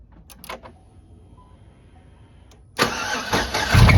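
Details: 2007 Chevy Tahoe engine cranking and idling with all belts removed: harsh metallic screech and rattle from inside the engine; owner suspects broken rod or bearings, possibly lifters or valve train, not confirmed.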